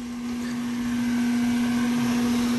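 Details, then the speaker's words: Condenser fan motor of a roughly 2018 AC unit on a no-cooling call, unit cutting off intermittently: loud, steady, rough-edged hum; motor noisy and running in reverse, several possible causes checked. "motor's noisy feels like it's going in reverse yep it sure is this is one you don't see every day so um motor definitely going in reverse"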